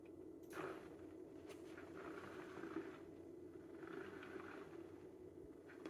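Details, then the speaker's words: DIY sim-racing motion actuator after surfaces were sanded to reduce noise and the position sensor re-centered, running a sine-wave test: faint, smooth whirring that swells and fades about every 1.5 seconds with no knocks or grinding; operating cleanly. "So it looks like it's running nicely. That's just a basic sine wave, and then I can manually control it."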